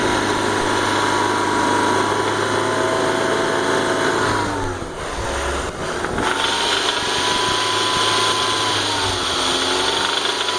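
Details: BMW E46 318i with 1.9 L M43 engine; rough, uneven tapping under the idle and revs persists despite new timing chain, guides, tensioners and hydraulic lifters; knock source unclear.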